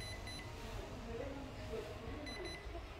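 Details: Toshiba RC-10VSJ 1.0 l pressure induction rice cooker: short thin beeps in small groups as the clock button is held and the time steps; panel working normally.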